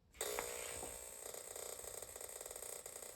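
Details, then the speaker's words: Lasko space heater makes rapid dry clicking, about ten a second, as soon as it's plugged in, and heats even when off: relay chatter from a failed 470µF 25V control-board capacitor, fixed by replacing it. "I've got this Lasko space heater and it makes a really nasty sound as soon as you plug it in"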